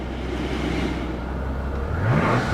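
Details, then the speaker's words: 2004 Mercedes SL600, 500hp twin-turbo V12, after battery check, started and revved: deep smooth rumble swelling with revs, rising turbo rush on top; healthy engine. "Let's fire it up. God, it sounds good. Man, that sounds good."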